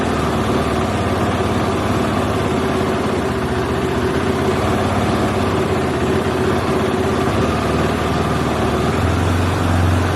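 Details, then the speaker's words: KTM four-stroke single idling near the manual's 2200–2300 rpm, set with the red idle knob on the throttle body: idle speed drifts up and down instead of holding steady. "um it's unstable that's why it's hard to hold it fluctuates up and down"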